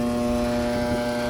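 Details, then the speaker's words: York package unit with no heat, showing a pressure-switch-failed-to-close code. The draft inducer motor gives a loud, strained buzzing hum, is heavily over-amping, and is seized. "that inducer motor is extremely loud one of the things i kind of noticed one of the things i kind of noticed i just killed power to it so i can actually talk um i did an amp draw on it it's way over amping on the motor motor seized up"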